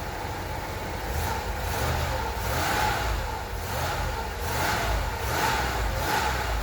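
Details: 1993 Cadillac Fleetwood after in-tank fuel pump replacement and fuel system priming: engine pulls up and settles in smooth, even swells with no misses, knocks or whine; normal revving.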